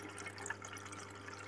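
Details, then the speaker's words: LG inverter Direct Drive front-loader, module repaired for DE1 error that persisted after door lock replacement, tested in rinse mode: steady rush of water into the drum over a low even hum, no clicks or stutters. No DE1 error, filling normally. "normal ngisi air."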